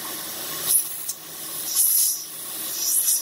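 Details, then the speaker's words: 2011 Chevy Cruze 1.4L turbo with code P0171, idling: steady high airy hiss with louder surges; runs smoother when the leak is covered and rough when it is open. Vacuum leak through the torn PCV diaphragm in the valve cover, fixed by replacing the valve cover. "don't know if you could hear the hissing do that if I close it up planes and run lot smoother when I open it up it's becoming it's starting to run very rough"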